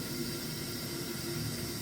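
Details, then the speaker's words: Vaillant ecoTEC combination boiler with low pressure, F22 fault: soft, even hiss of water through the opened filling loop as the system is topped up toward 1.5 bar; normal. "little bit and you'll hear the water going in and then go look at the pressure and it'll gradually start going up"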